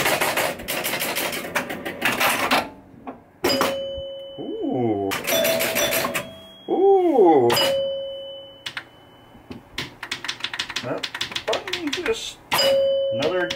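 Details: 1974 Williams Skylab pinball with chime box modified to Gottlieb chimes, chime box fully on: clear bell-like strikes ringing and decaying cleanly between play, every tone full; working properly.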